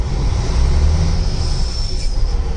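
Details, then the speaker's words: Freightliner Century diesel with engine brake on high: deep, steady, fairly muted rumble without sharp barking; the engine brake sounds normal and quiet. "now you can hear it you can hear it sounding that's engine brake although engine brake on high"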